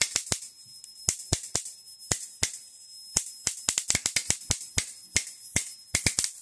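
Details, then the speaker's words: Homemade high-voltage bifilar transformer passing a 110V 60Hz high-current pulse through a spark gap, voltage raised: irregular snaps several times a second over a faint hum as the arc fires unevenly and surges; cause unknown. "Yeah, see it's starting to make that weird noise again. Oh yeah, see you can hear it kick. Like it's putting a lot of power through that arc every once in a while."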